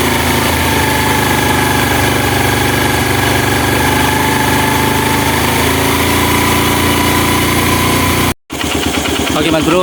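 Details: Honda Mega Pro mono single-cylinder, after finding an air leak and adjusting the carburetor air screw for hard starting and stalling at idle: steady idle with an even putter, no hunting, holding speed cleanly and running smoothly.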